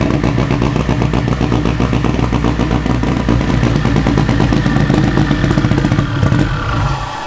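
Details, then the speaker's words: 1000hp-capable K24-swapped AWD Honda Civic, first start after a no-compression issue: loud lumpy running with sharp exhaust pops and cracks, stumbling on throttle tip-in, sounding like it's on the high cam; cause not yet confirmed. "Now that we know that it runs, obviously you can hear it. She's popping and like it's on the high cam."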